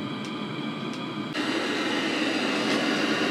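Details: Webasto diesel heater, about 5 kW, heating a water tank with STC-1000 thermostat control, initial run: steady blowing roar with faint fast ticking underneath, even throughout; burning normally at full output.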